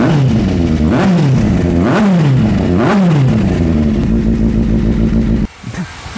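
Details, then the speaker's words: Kawasaki Z800 motorcycle in for an oil pressure warning lamp, test start: oil lamp should go out within 3 seconds; engine blips up and down about once a second, revs rising and falling cleanly, no knocks or rattles, normal revving. "Ingat eh dalam masa 3 saat lampu minyak hitam ni dia kena padam dan kita minta-minta tak adalah bunyi pelik-pelik yang keluar daripada enjin motosikal ni."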